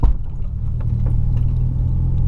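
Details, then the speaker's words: Heavy road rumble inside a moving VW Polo with a few short dull knocks from the rear suspension on one side over bumps; owner plans urgent suspension work, cause not confirmed. "ouviram minha suspensão batendo? A de trás daquele lado ali, ó, de trás ali, tá... Mano, tá miando demais."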